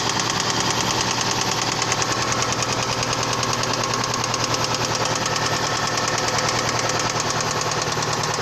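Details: Toyota Previa 2AZ engine with sharp, regular metallic knocking about three per second while running; spun connecting rod bearings on the crankshaft: rod knock.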